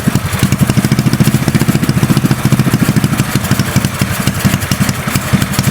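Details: Custom mini bike trike small engine warming up without choke: quick steady putter about three beats a second; idling cleanly.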